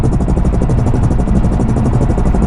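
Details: Toyota A90 Supra, driving and accelerating with windows open, before fitting AMS wind buffeting kit: rapid heavy throb at roughly ten beats a second over engine drone; open-window wind buffeting.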